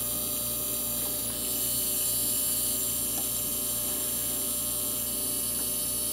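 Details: Sim2 Domino 80 DLP projector with no light; ignitor flashes but lamp won't strike. Steady electrical buzz with thin high whine over low hum, likely from a power-supply inductor. Cause: three failed 47uF 50V capacitors and 100uF 450V main filter capacitor.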